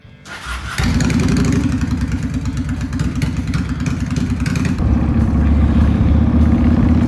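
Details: 2001 Honda Shadow VT750 V-twin after carb rework, with the airbox still off. Fires promptly and settles to an even, loping idle; it starts and runs clean, though popping was later noted off idle, suspected lean.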